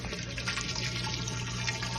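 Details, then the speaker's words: Mabe washing machine on spin after replacing the drain pump, whose broken impeller only hummed without draining: water rushes out steadily with a low, even motor tone and no hum; normal drain pump. "vamos a poner en centrifugar para ver que el agua Ah ya no zumba la bomba cuando"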